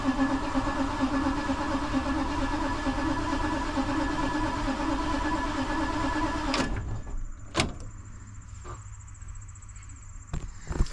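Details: Diesel bus with a VT365 engine, crank no start after battery, starter and ground cables were cleaned: steady cranking at about two beats a second for six seconds without catching, then only clicks remain.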